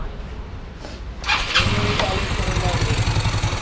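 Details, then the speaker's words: Yamaha Mio MXI 125 scooter, first start after rebuilding an engine that had run dry of oil and was smoky and noisy; exhaust fitted, airbox off: catches within a second into a steady, quiet idle, hiss from the breather. Normal. "Okay na siya Ito naririnig niyung singaw ito yon sa brer aan yan Okay na siya tahimik na siya"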